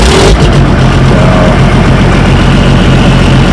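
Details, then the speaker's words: Tractor diesel started at 20 degrees, with new injectors fitted a month ago: it fires right off and settles into a steady, even low idle with no misfire or knock. It runs much better since the injectors. Normal idle. "he fires right off. We had new injectors put in it about a month ago, and it runs a lot better now."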